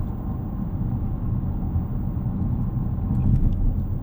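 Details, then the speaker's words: 2026 Dodge Charger Scat Pack, 550 hp twin-turbo Hurricane H/O inline-6 with 8-speed automatic and AWD, at relaxed steady cruise. A low, soft engine hum with road rumble, engine quieting way down: normal cruise. "Uh, this engine quiets way down when you're chilling. It is really relaxed. Um, yeah. I mean, it really disappears."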